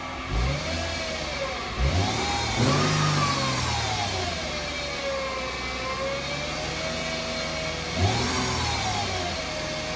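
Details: 2008 Mercedes-Benz C300 V6 on stock exhaust, cold start and revving: a loud high whine rising and falling with engine speed from a failing alternator; replacing the alternator removed the noise.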